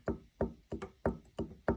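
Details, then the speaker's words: Nissan R35 GTR IHI-style upgraded turbo with billet compressor wheel, no radial play: sharp hollow metal knocks about three per second as the shaft is pushed in and out; failed thrust bearing end play. "but I'll show you the reason why this one's failed it's got a uh thrust bearing failure she'll be able to hear it"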